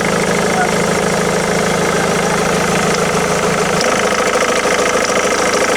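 Diesel idling with an uneven knock of roughly three per second over the rumble; the tone shifts midway, and the cause isn't clear.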